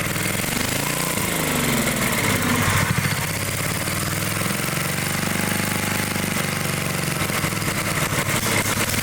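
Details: Dayton generator engine, unused 30 years: runs unevenly on choke with slow rises and sags in speed; points to a clogged, fuel-starved carburetor, main nozzle to be removed.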